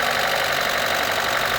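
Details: 1997 Opel Vectra 2.0 16V just after head gasket replacement, fresh 10W-40 oil and new air filter, first start: fast, light top-end clatter as hydraulic lifters are still empty of oil, expected to quieten once filled.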